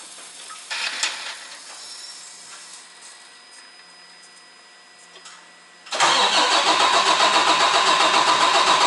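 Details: DD15 diesel truck after fuel pump reinstalled and timed, fuel system pressurized with 100 psi air to push diesel to tanks: about six seconds of faint, drawn-out cranking before it suddenly catches and settles into a loud, steady run.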